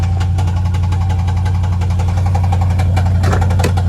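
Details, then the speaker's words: Jeep V8 idling roughly with fast uneven ticking clatter, louder as revs rise, with loss of power; owner assumes a worn camshaft. "so let me show y'all the noise that your car will make when your camshaft is worn out"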